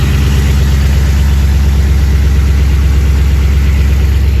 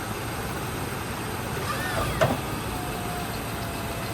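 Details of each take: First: Old Chevy squarebody plow truck first start after about 20 years, cold idle: deep, loud V8 idle with a hollow rattling knock; forged-piston slap while cold, expected to fade once warm. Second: Old square-body Chevy V8 plow truck first started in about 20 years, a little smoky: steady, even idle with no skips or stumbles, not missing; running smoothly and healthy.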